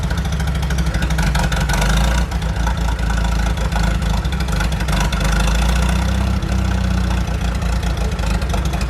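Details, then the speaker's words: 1947 Chrysler, an old junker revived and started for a drive: low, steady idle with an even beat and no knocks or rattles; judged a good runner, idling smoothly, though the clutch is suspected seized. "It should uh just start at idle pretty good. Dangerous there. Sits down there. Nice. >> Good runner."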